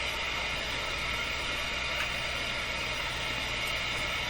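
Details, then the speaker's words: Nordmende Boheme C tube radio during IF alignment, before proper setup, listened to through the speaker: steady, even hiss with no tune or voice and a faint low hum; the meter is probably reacting to the hiss; FM hiss. "let's just go through it anyway and then we can always set things up better so this meter is probably reacting to the hiss more than anything let's find out"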